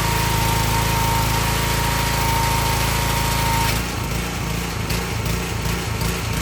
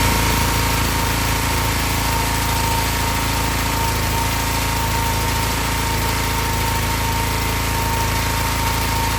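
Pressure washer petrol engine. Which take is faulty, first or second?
first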